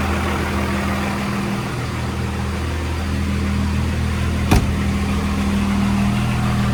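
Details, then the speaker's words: 2nd-gen Dodge Cummins diesel with NV5600 after short throw shifter install, inside the cab; steady low drone with one brief click, clutch no longer heard, much quieter; normal running. "All right, it is much quieter in here. This quieted down a ton. Really, what you can hear right now is the sound coming through the door panels, or lack thereof, but can't really hear the clutch anymore."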